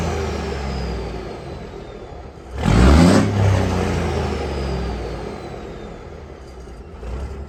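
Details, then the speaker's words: Peterbilt 362 cabover diesel that wouldn't start after sitting 4 weeks in the cold with dead batteries, now running after a new fuel valve and fresh fuel: a throttle blip, then a smoother, quieter, steady idle with valves audible and no misses. "But I think runs smoother and a little bit more quiet."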